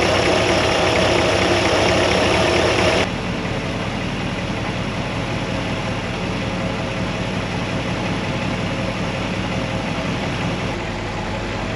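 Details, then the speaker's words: 1957 Chevy Bel Air convertible 283 V8 barn find at idle with a noise suspected from the throw-out bearing; low, even burble with no miss, much better, idling smoothly. "it's a lot better A lot better yeah it that's the problem now it sounds like a 283"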